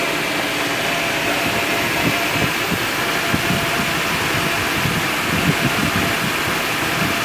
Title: Mercedes G 300 rough idle